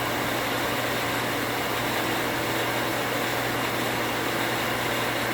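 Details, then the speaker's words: 240 V well pump after rewiring to bypass the new pressure switch: loud even motor roar with steady mains hum, builds pressure with no rapid contact buzzing or cycling; normal pump run, no switch chatter. "let's turn it on and what i'm expecting it to do is to come on build pressure and turn off without chatter so far so good"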